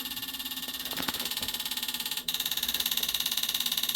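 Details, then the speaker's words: Cummins ISC 8.3 with CAPS injector pump, click test: front pump control valve buzzes sharply about two and a half times a second, cycling properly; valves need a healthy 12 V, and the pump is often blamed when the voltage supply is the real problem. "so here I'm going to press injection control valve it's going to start and you can hear the clicking right and then you've got front pump control valve another thing that takes quite a bit of voltage"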